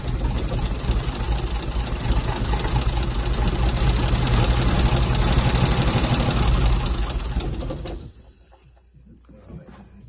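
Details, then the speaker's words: MGC 3.0 straight six, first run in about 33 years, carbs rebuilt, no coolant in it: rough but continuous six-cylinder idle with a steady low drone for eight seconds before shutoff; engine running again. "Right, and again. There we go. First time in about 33 years, I think it was."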